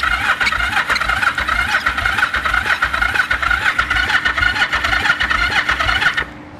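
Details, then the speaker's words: 1974 Yamaha TX500 revived after 20+ years: a steady starter churn at about two beats a second with occasional firing pops, not yet running. It has spark and started moments later. "It's starting to pull fuel. It's trying."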